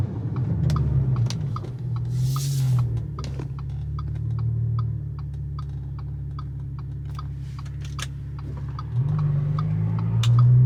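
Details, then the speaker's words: Audi S4 B8.5 cruising after shop replaced worn wheel bearings (~100k miles): steady low road rumble with no growl or hum rising with speed; earlier bearing noise gone, wheel bearings normal. "Oh yeah, that sound is gone. I don't know if you guys remember during the day when I told you guys before I was heading to the shop to get it done, if you can hear it or not, but it's gone."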